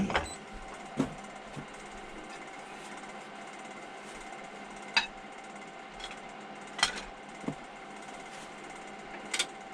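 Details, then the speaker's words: Wood lathe roughing a square 6x6 cedar lamp blank, gouge taking the corners off: steady motor hum with sharp, uneven knocks as the gouge catches the corners; normal roughing cut on an out-of-round blank. "You can see the roundness would be down here, so I have to take more than 1 inch off before I'm even close to being round, and that's just basically taking the corners off."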